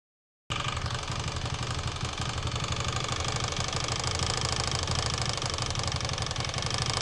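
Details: Steady idle with rapid uneven knocking about four per second riding over it; engine knock, cause not confirmed.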